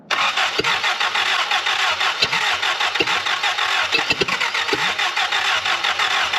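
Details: Willys L-134 engine in a Jeep FC-150 frame, after swapping in a carburetor from another Jeep and with carbon-blackened plugs: steady starter churn with a few weak pops that never catch. The engine failed and won't run, pointing to no compression.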